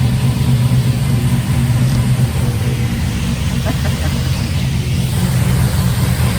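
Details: 1955 Buick with turbo LS swap, first start with new homemade 3-inch exhaust: Silverado tailpipe pieces, swap-meet Thrush muffler, slash-cut tip. Deep, steady rumble with even, unhurried beat, no knocks or rasps, throaty exhaust: normal idle.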